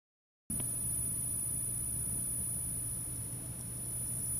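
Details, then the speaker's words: Behringer Xenyx UFX 1604 mixer, about six years old, suddenly began a terrible steady high-pitched squeal over a low mains hum; the manufacturer suggested a failing power-supply capacitor, and the fault is in the internal power supply. "last year while we were using it just for whatever reason it started making this really terrible squealing noise"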